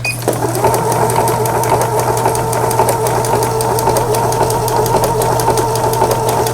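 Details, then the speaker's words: Riccar Stylist 9000 imported digital sewing machine after full disassembly and repair with no parts replaced, sewing stitch 7 overlock (edge anti-fray); steady motor hum with even quick needle ticking, no catching: normal overlock stitching. "네, 7번에는 오버록 스티치라고 그래가지고 옷감의 가장자리가 풀리지 않도록 해주는 이런 기능이 되겠습니다."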